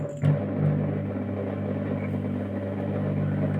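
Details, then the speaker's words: Mazda Junior G light fitting with a halogen-floodlight-style reflector, warming up: a loud, steady low buzz with a faint rattle over the ballast hum, as the reflector vibrates even though it is screwed on tight. "Je pense que vous avez très bien entendu le boucan que fait le réflecteur."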